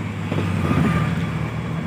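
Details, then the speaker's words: Maruti Omni road test after crown (differential) bearing replacement; before the repair it howled loudly above 40 km/h: now steady low road and engine rumble, no howl or whine; quiet differential. "और आप देखो यह देखो इतनी प्यारी चल रही है गाड़ी और यह देखिए कोई आवाज नहीं बिल्कुल भी"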